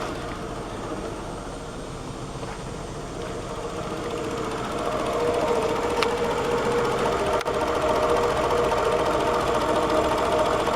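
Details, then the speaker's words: 2003 Toyota Camry with 194,000 miles: struggles to start even with gas, then an uneven, shaky, loping idle at about three or four beats a second, from carbon in the throttle body, before throttle body cleaning. "this car has 194,000 mil on it and we'll see if it'll start if you heard all that but it really struggles to get running and I'm giving it some gas"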